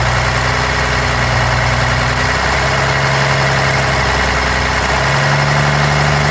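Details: 1993 Dodge D250 with 12-valve Cummins diesel idling with an uneven, stumbling, dropping-out clatter; misfire remains after replacing injectors, lift pump and shutoff solenoid, adjusting valves, fuel-can test and 400 psi compression on all six; owner suspects injection pump.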